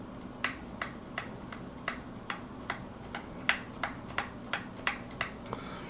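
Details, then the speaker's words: Keyboard with quiet MX Silent switches: sharp, thin clacks about three a second on each key release, a hollow rattle from the stabilizer wire topping out against its housing; noise from the stabilizer topping out, before silencing. "That noise is coming from the stabilizer topping out. So I wanted to see if I could do something to quiet that down."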